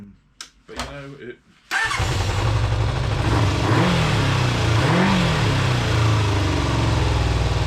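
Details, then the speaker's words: Kawasaki GPz400R track bike, fuel sitting in the tank for a couple of years, starting after a few seconds of cranking: runs rough, spitting irregularly and stumbling as revs rise and fall; owner suspects bad fuel, maybe plugs and HT leads. "so you can hear it sort of um misfiring it i don't know whether it's misfiring it's just spitting a bit"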